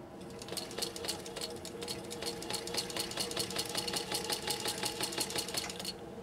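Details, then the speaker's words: 1930s Singer 15-91 sewing machine after restoration, sewing a shorter stitch row through eight layers deliberately slowly: even, crisp clatter at about six or seven stitches a second with no grind or knock; it runs healthy. "give this chug chug engine could Granny's machine from the 1930s a good listen and just listen to that strength that grit that rigor that it has now after Workshop magic"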